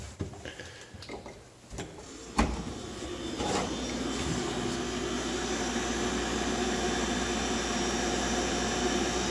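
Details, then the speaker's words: GE refrigerator condenser fan after replacing the noisy old motor, which had shaft play and wobbled; the new motor has no shaft play and runs with a smooth, even hum and airy rush, no rattle. "Sounds a lot better. Yeah, on our old motor, you can see there's a lot of shaft play here."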